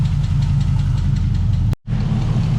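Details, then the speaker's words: LS-swapped Trans Am first start after sitting a long time, block-off plate fitted; light even lifter/valvetrain ticking over a rough V8 idle that fades as oil pressure comes up. "And the tick's going away, so that's good. We're getting oil pressure."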